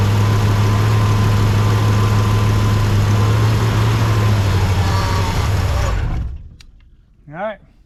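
Steady low idle pulsing about four times a second for six seconds, then it dies away; running only on hand-fed fuel.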